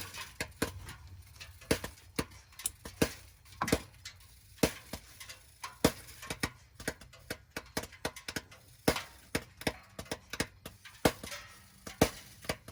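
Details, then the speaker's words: 2020/2021 Ford Transit 350 HD EcoBoost AWD (Coachmen Beyond van), just parked after driving, engine off, heard from underneath: sharp irregular pops and ticks, a couple each second; owner thinks source is driver's side/middle, cause unknown. "so i just pulled up here uh in front of the house you guys can hear that popping i'm gonna try to go under here see exactly what that is"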